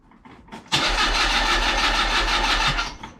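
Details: Mazda MX5 under restoration, jump-started with new coil packs just fitted and coil order being questioned: steady starter churning for about two seconds with no catch or rise in revs; cranks but never fires, cause unconfirmed.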